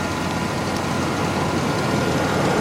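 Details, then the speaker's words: 2004 Chevrolet Astro van started for sale inspection, A/C on with compressor turning: smooth, even idle with a soft steady rush, no knocks, ticks or misses; very quiet engine, exhaust and headers, healthy. "as you can hear, very quiet engine, quiet exhaust, headers are quiet."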